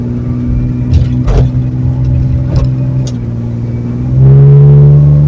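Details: Ford Torino with turbo inline six, driving after the new exhaust system: deep, smooth drone rising cleanly with revs, no rasp or leak, much quieter; normal exhaust note.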